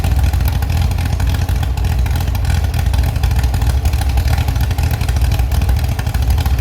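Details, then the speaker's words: Restored Chevy SS V8 with non-original cam, first start after rebuild: deep, steady rumble with crisp throttle response and no knocks or rattles; normal engine running. "Yes, very good, I have already managed to revive the Chevi's engine again. You can hear it and it sounds very good. It even has a very good reaction."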